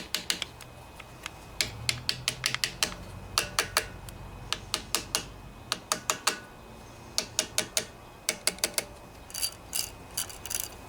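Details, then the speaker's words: Snapper SR1028 mower, Briggs & Stratton flathead pull-start clutch reassembled with cleaned parts, turned by hand: crisp light ratchet clicks, spins freely one way and binds the other; working correctly. "freely in one direction and binds up in the other that's what you want"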